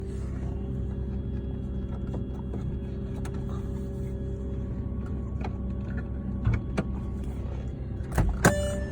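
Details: 2005 Volkswagen Touareg 3.2 V6 at cold start every morning, a noise that began after an oil change. A low idle rumble with a thin, steady whine above it and a few sharp clicks; the cause is unknown.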